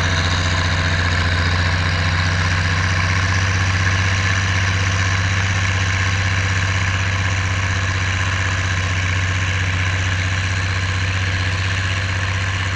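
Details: Oliver 1550 diesel tractor disking with a John Deere BW disk after whatever was in the fuel system cleared out; a strong, steady low drone with even firing and no miss or knock while pulling. Normal diesel running under load.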